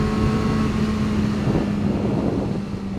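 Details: 2009 Yamaha R6 inline-four revving at 7,000–8,000 rpm: high drone with a thin buzz at the top of the revs; caused by a loose washer between crash cage and engine mounts, gone once removed.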